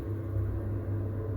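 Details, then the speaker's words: Potterton 28HE combi boiler with a central heating fault, broken spring in the 3-way valve drive motor: on heating demand it ignites and the pump starts, giving a steady hum, burner rumble and even pump drone. It previously shut down at 80–90 degrees. Normal boiler firing and pump running. "so we have ignition, pump stepped in, watching the thermostat rise."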